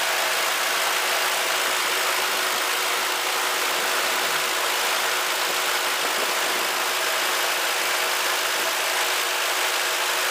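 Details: Ford Crown Victoria at idle after belt dressing spray on squealing serpentine belt: smooth steady idle, even hiss, no squeal or chirp; belt drive quiet, fix expected to be temporary.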